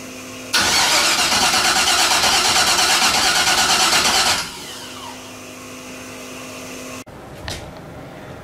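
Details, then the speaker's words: Car cranks but won't start: steady starter cranking about three turns a second for four seconds, never catching; spark plug dry, injectors not firing. "the car would crank but it wouldn't start so i pulled spark plug there's no fuel so there's no fuel"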